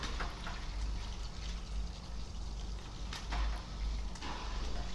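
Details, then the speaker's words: Newly installed Eheim Classic 2215 canister filter with sponge media, first start-up: quiet low hum with irregular gurgles and bubbly splashes from air trapped inside; tilt the canister repeatedly until bubbles stop rising. "스펀지 말고 여 가지를 쓰신다고 해도 역 어제 특채 틈 3 기포가 남아있기 때문에 처음에 가동을 하게 되면 이런 소리가 나요 지금 소음이 적다고 생각하시는 분들도 있을 건데 아직 소음이 있는 상태에요"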